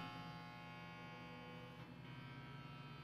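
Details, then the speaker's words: Manual microwave running normally off a power inverter: steady, even electric hum with a faint buzz, not very loud. "running not very loud nice timer easy to use"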